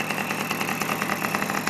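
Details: Simson S50 two-stroke moped with sport exhaust, started first kick after long transport: crisp, rapid popping at a steady idle with even beat and no misses; normal healthy idle.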